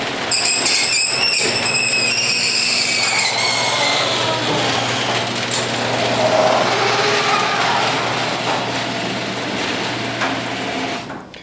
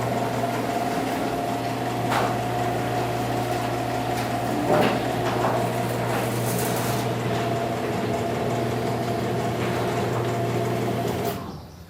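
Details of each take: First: Garage door before a service call: torsion springs binding tightly against the torsion tube cause a scraping, squealing rub with falling whistles as the door travels. After service and greasing it sounded much better. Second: Garage door after service call, springs had been rubbing tightly on the torsion tube and everything greased: steady, even motor hum with low drone, no squeals or scraping, then a clean stop; runs much quieter.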